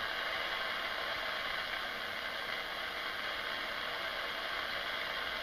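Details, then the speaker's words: Radio clock near a desktop computer: steady hiss with fine fast ratcheting buzz as the computer spins up; electrical interference from the PC. "it's noise it's not nearly as annoying happens when I turn on the computer you can hear the computer winding up"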